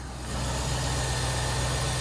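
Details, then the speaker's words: Land Rover Discovery 4.0-liter V8 idling cold with the hood open: low, smooth, even idle with no ticks or hums, quiet enough to barely hear with the hood closed; normal healthy idle. "I mean, this sounds great. No ticks or hums. It's quiet."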